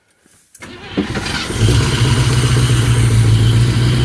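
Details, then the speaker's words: 1974 Chevrolet 3/4-ton pickup, sat for years with tank gas from 2012: cranks briefly, catches and idles steadily about four beats a second only on fuel poured into the carburetor bowl, running until it runs out. "So I poured fuel in the bowl several times, and it runs great every single time till it runs out."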